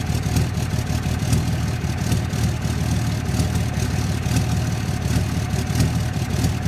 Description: 2006 dodge cummins bad injectors?. This is what it sounds like at idle.